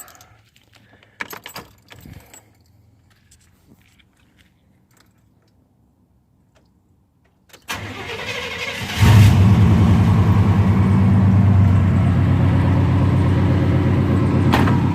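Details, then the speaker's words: 1994 Chevrolet Silverado V8 with rebuilt top end (new head gasket), start after a few days sitting: starter cranks about a second, catches cleanly, settles into an even steady idle; normal start. "It pretty much fires up. Turns over just a couple times and she usually hits."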